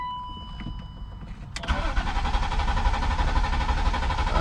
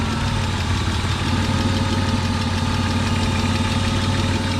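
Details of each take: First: BMW E36 convertible after oil pan replacement, fresh oil, fuel pump fuse pulled to dry crank and build oil pressure: chime then even steady cranking without firing, no knocks or binding; normal. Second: BMW E36 convertible just after oil pan replacement, smoking from oil-coated exhaust; uneven lumpy wavering idle like a vacuum leak; idle control valve popped out of its loose grommet.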